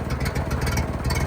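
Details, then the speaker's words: 1930s Ford truck, first running in over 70 years, out on a ride: low, steady engine rumble on the move, no knocks or misses; runs pretty good, though the carburetor still needs a rebuild kit. "running pretty good I got to go through the carburetor a little bit get a carburetor kit for it"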